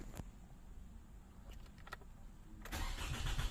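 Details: 2006 Toyota Camry automatic, possibly 2.0, no fault codes, alternator recently replaced: starter turns the engine about four beats a second, getting louder, but it never catches; crank, no-start.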